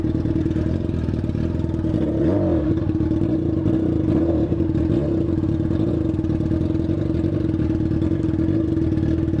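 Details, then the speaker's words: Yamaha FZ6 while riding: steady droning tone with a clattery, rattling edge, a strange ugly engine noise with unknown cause; abnormal engine noise while riding. "ver a moto agora tá dando um fada fazendo um barulho estranho agora você é louco cachorro Zinho pera aí tio barulho feio tá fazendo a moto"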